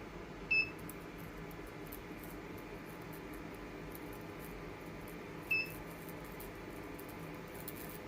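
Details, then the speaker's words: Sony PS5 power supply on a test load at 250 W: short high-pitched chirps about five seconds apart over a quiet hum. Coil whine from burst mode grows louder as load rises from 150–200 W, though the output stays clean. "all right 250 watts and man that thing is is chirping away way there excuse me does not sound good"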